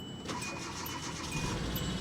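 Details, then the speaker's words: Auction Pontiac Grand Prix with old battery started for first time: catches and settles into uneven, stumbling idle with a missing beat, dead misfire, check engine light flashing. "listen to that dead misfire check engine lights flashing yeah she's got a dead Miss"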